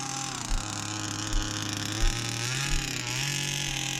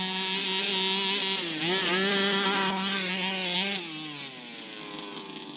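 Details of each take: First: Rebuilt 29cc two-stroke engine in a Baja 5B RC car, new clutch shoe, driven on frozen ground; high buzzing rises and falls crisply with throttle, pulls hard without bogging or misfiring, healthy and strong. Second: Baja 5B RC car small two-stroke engine with a recharged battery, revving up and down with wavering, stumbling pitch; it won't hold clean high revs. Owner suspects it is losing spark (plug or coil).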